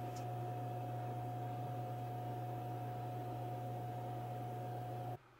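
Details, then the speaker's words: Akitio Thunder2 Quad Thunderbolt RAID enclosure with its stock OEM fan, before replacement with a quieter aftermarket fan: loud steady hum with a constant whine that then cuts off, audible outside the office. Loud cooling fan noise. "you have no standard of reference for that sound but I'll tell you it's the loudest thing in the room and probably the loudest thing in the whole basement you can hear it outside my office"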